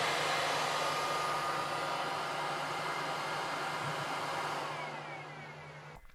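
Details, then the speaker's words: Snapmaker U1 3D printer with official beta Top Cover, fan speed set in firmware: strong steady rush of air with faint constant hum, no rattle or ticking, then winding down; chamber fan strong, purifier fan slightly weaker; normal fan operation. "comme vous l'entendez, ça souffle bien. En tout cas, le ventilateur de la chambre souffle bien."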